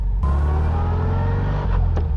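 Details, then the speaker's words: 1956 VW Oval Beetle with crash-box transmission, driving under load in first gear: faint high gear whine that goes away after the upshift near 15 mph; normal first-gear whine for this gearbox. "s baby when you hear the wine like you do right now in the transmission very common crash box they have a wine to them in first gear"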